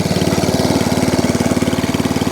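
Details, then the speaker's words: ATCO Balmoral 14S cylinder mower after a new throttle cable and carb leak fix, back to idle after drive and cylinder: quick, even putter with no misses or stumbles, still no fuel leaks; normal idle. "Idle. Still no fuel leaks. And shuts off. I'm over the moon with that."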